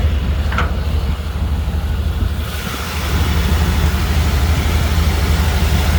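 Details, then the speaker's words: 1995 GMC Vandura 2500 van, 167,000 miles, idling with hood open: steady low even rumble, no knocks, ticks or rattles; real quiet and smooth motor, starts right up, no smoke. "Listen to it a little bit. Real quiet and smooth motor."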